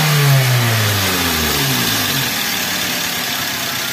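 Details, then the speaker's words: 2010 Avanza/Xenia that misfires at 750–1000 rpm idle: it revs up cleanly and winds down with an even, steady note. No stumble at high revs; a compression leak such as valve sealing is suspected. "RPM tingginya biasa ya biasa guys RPM tingginya biasa jadi karena ketika RPM tinggi valve itu akan lebih terpapar lebih cepat terbuka dan tertutup"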